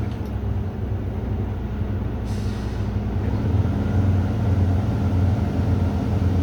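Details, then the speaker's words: Semi truck diesel started at about 100 PSI air during CDL air brake test, brakes set, neutral: steady low idle rumble with faint rhythmic chug near two a second as the compressor builds to max pressure; normal. "I'm going to go ahead and start my vehicle on to build up max pressure."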